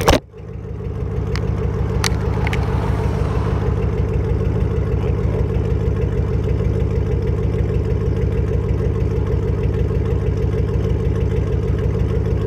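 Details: Ford Mustang GT 3-valve with no mufflers, Steeda X-pipe and no cats, at idle: loud open-exhaust idle with an uneven, lumpy pulse, a misfire; owner suspects spark plugs or ignition coils.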